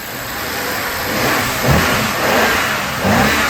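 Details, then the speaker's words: BMW 750Li revving after new genuine BMW PCV breather parts were installed: it rises and falls smoothly with no whistle, and the suction under the oil cap is gone. The remaining oil-cap noise is normal, from the vacuum pump. Normal revving. "So that noise that you hear under the oil cap is totally normal. It's a result of the vacuum pump that's used in this kind of car."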